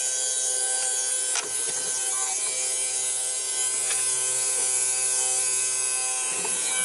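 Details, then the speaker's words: Kawasaki GTR1400 fuel pump on a bench test rig, bike not starting after a year stored; steady high-pitched buzzing whine that never labours, pump spinning but not moving fuel; suspected installed the wrong way round or not drawing, not confirmed. "that should be pumping really. I don't know why it's not unless I've got it the wrong way around."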